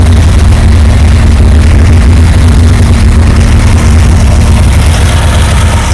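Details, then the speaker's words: Reliant Supervan first run and drive in 37 years, cold November morning, with a coolant leak; deep steady engine rumble with a faint constant whine from a noisy, unhappy water pump. "oh that water pump is definitely not a happy thing"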